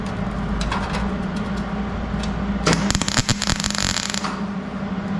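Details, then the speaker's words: Hobart Handler 140 MIG welder turned down to heat setting 1 (found at setting 2, wire 32): about a second and a half of irregular crackling and popping over a low hum, a sputtering arc with heat set too low. "um boy I don't like that at all"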